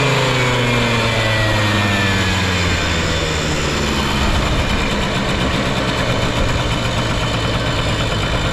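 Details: Period Honda Lead 90 scooter (HF05-1025) running check: small engine revs smoothly and drops back to a steady, quiet idle with no knocks or rattles; no abnormal engine noise, healthy.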